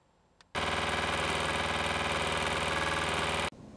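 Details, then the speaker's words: RV truck camper Shurflo water pump, relocated, lines insulated, before pump controller install: harsh loud buzzing drone about three seconds then cuts off; pipe insulation made no difference, quiet when tested on bucket; cause unconfirmed. "The sound level was almost exactly the same with and without the insulation. So that really had no effect."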